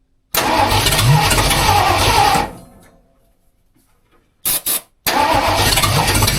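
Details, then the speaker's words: Rebuilt budget 302 V8 in tow truck, first start after clutch, flywheel and distributor install: catches quickly, runs evenly, dies after two seconds and restarts; smooth, no weird noises, no smoke. "But it sounds good. It runs smooth. There's no weird noises. It's not smoking."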